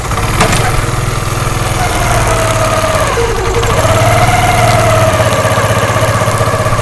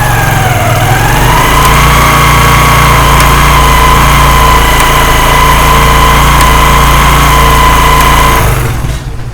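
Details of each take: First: Motorcycle chain drive at idle after a free home fix of a tak-tak chain noise: even, steady idle beat with no knocking or slapping, the earlier noise now completely gone; normal chain drive. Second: Motorcycle running with a steady whine and a faint, regular tak-tak ticking from the drive chain; mechanics would blame a worn sprocket, and the fix involves removing the front chain sprocket.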